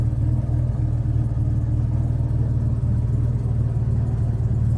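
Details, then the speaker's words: 1961 Jaguar Mark II 2.4 manual overdrive, warm after a run: six held steady at about 3000 rpm, an even smooth drone with no knocks or misses; oil pressure correct at 40 psi, pressures and temperatures fine, healthy engine. "if I blip the throttle or pressure goes up it sits correctly at 40 PSI at 3000 RPM"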